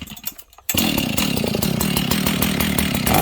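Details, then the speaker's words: Husqvarna 61 chainsaw after leaning out the low-speed jet, clutch still somewhat worn but better: catches quickly and holds a steady, even two-stroke idle with the chain brake on and chain still; clean, settled idle. "Okay, so now notice I leaned the low jet out. This thing idles, and it will idle with the chain brake on."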